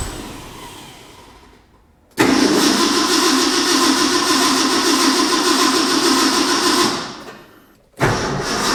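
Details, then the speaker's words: Ford F100 truck, bought unstarted, cold shop, choke status unknown: long rhythmic cranking about four beats a second with no catch; it cranks but won't start. Owner suspects flooding or a timing problem after one puff. "you know I wonder I wonder if I flooded it we did get that puff and that could have been just um I've got a timing problem"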